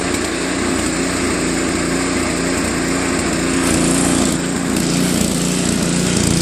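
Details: Tecumseh Snow King 5.5 hp 195 cc engine on a Craftsman 24-inch track-drive snowblower, carb gummed after a year's storage and cleaned; idle note still hunting up and down at low idle, surging, fixed later by idle screw adjustment.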